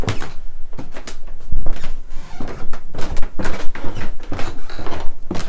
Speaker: In this case, I've got squeaky stairs. You can hear how lovely and squeaky those stairs are, huh?